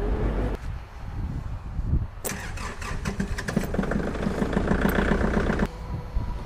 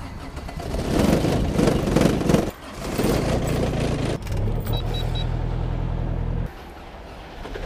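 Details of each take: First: Kubota small diesel tractor cold-started in snowy conditions: short crank, then catches and settles into a rapid, even diesel clatter; clean, easy cold start. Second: Kubota small diesel tractor in cold-weather start test after snowfall: slow, uneven cranking that sags and stops in bursts, never catching; fails to start.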